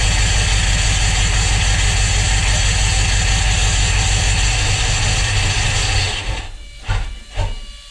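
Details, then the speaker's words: Volvo Penta 5.0 GXi marine engine start after replacing throttle position and MAP sensors, checking injectors and compression test; loud hissy running with uneven lumpy beat about three times a second, then stumbles and cuts out. Owner suspects dried-out cleaned plugs. "well there we go she fired up she ran very Lumpy"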